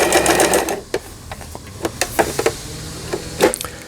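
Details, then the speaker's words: Janome Harmony 2041 sewing machine sold by Lion, about 20 years old, after repair of a mistimed lower-shaft gear and shuttle race unit; testing stitch patterns, reverse working well. Quick motor run, then light even needle clicks: healthy mechanism. "후진 역시 잘 되고 있고."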